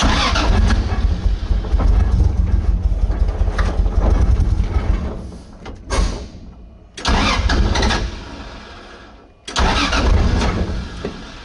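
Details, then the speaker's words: 2JZ-swapped Nissan 240SX on first start with starting fluid: catches and roars briefly, then sags and dies, relighting twice; won't idle, with many open vacuum ports; later backfired through the intake and caught fire. "and sounds like crap normally they run pretty good"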